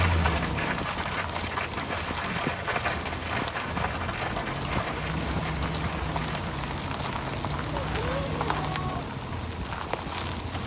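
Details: Chevy Silverado driving: low droning hum swells and fades under road roar, a bad wheel bearing; owner first suspected the ball joints and replaced a power steering pump.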